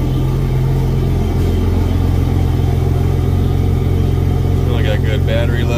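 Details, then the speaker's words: Yamaha F250 4.2 outboard on a Grady White 216 Fisherman, annual service, running on a flush hose before water temperature is up: steady, even low burble at idle with no knocks or misses; kept at idle since revving on the hose could starve the water pump. "sounds good when you run on the hose you get enough water pressure to run it but you don't want to rev it up or anything or you could starve the water pump and hurt it potentially so letting it idle is okay but i wouldn't rev it up at all"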